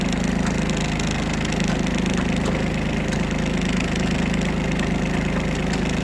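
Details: Kubota Aste A-13 Japanese mini tractor diesel, 756 engine hours, in reverse during a gearbox test: a steady, even drone while backing up with no knocks, grinding or whine; reverse is healthy.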